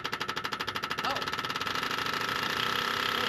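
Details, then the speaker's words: Car that ticked while driving, then banged and stopped, oil about 1.5 quarts overfilled: fast metallic clatter when cranking, quickening then fading. It sounds like the engine is seizing, possibly timing chain or oil pump. "it does sound almost like your motor's locking itself up"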